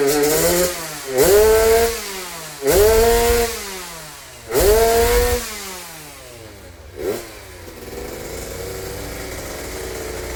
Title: kompresi lemah. suara ngorok bisa menutupinya..